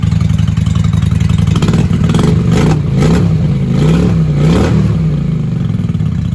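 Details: 1995 Honda Shadow 600 VLX VT600CD V-twin, running after fuel leak work with pinhole still to fix, in shop: loud open-pipe rumble blipped up and down, picking up cleanly and settling evenly; "sounds good for a little 600," healthy revving.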